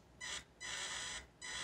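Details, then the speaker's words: Axial AX24 RC crawler with shortened bottom links: three bursts of shrill, loud motor whine with each low-throttle blip while barely moving; owner blames the poor ESC, which gives no slow speed. "I honestly I can't stand the motor wind in these things I think that's just so loud it's not even moving it's making that much noise"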